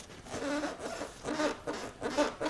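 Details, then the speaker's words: 450MT motorcycle short seat latched down with its rubber caps removed: soft creaking rub on each push, about four in under three seconds, as the seat moves down and rubs against the tank. "Now if I push down here, you can hear a lot of movement. That's the rubbers at the top here rubbing against the"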